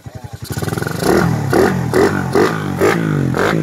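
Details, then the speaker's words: Motorcycle with chrome bore, carb fitted, replaced burnt harness and stock CDI, fresh break-in: cranks, catches and takes clean throttle blips; runs quiet and healthy. "Okay na ito kay sir, tahimik naman."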